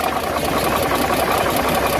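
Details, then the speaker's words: Dodge WC52 engine running with a dry clacking and rubbing clatter over the running note, also noticeable on deceleration; a mechanical engine noise, cause not pinned down. "on l'entend comme un bruit de claquement, de frottement."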